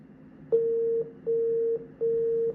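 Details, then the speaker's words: Apple eMac (about 2002) at power-on after its RAM pins, fouled by a spider, were cleaned with alcohol and the sticks reseated. Three clean, evenly spaced half-second mid-pitched beeps, the code for faulty RAM. "After that, I got 3 beeps, which is also an indicator of the RAM being faulty."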